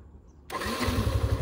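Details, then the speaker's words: Yamaha FZS-V3 motorcycle at about 31,979 km: starter catches within half a second, then a steady even low thump settles into a smooth idle with no knocks or rattles; normal start. "যে গাড়িটা start করলাম আমরা, দেখেন যে sound আপনারা শুনতে পাচ্ছেন viewers."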